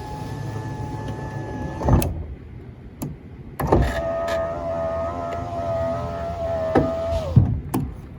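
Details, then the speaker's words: 2004 Ford F150 FX4 driver side power window that had stopped rolling up; window motor hums steadily, pitch sagging under load, with sharp pops and clunks inside the door; power window noise, cause unknown. "I can hear it popping in there, but jeez."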